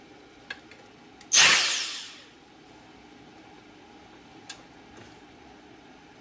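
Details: Dyson DC58 handheld vacuum motor run directly from the marked plus and minus terminals: whirs up sharply for under a second, then spins down smoothly with no grinding or rattle; motor fine, fault lies in the battery pack.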